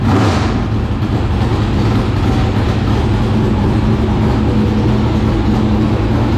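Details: 465 cubic-inch V8 race engine, first start after three years sitting and after getting improved fuel pressure: a deep, steady rumble that settles after being revved, running evenly with no misfire or knock; normal running.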